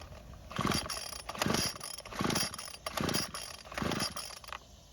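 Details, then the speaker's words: Neglected Craftsman string trimmer with the purge bulb filling and choke on: five rope pulls about a second apart, each just a whirring spin with no firing; no-start. "So, unfortunately, it didn't even try and start, but the instructions don't say what to do when this happens."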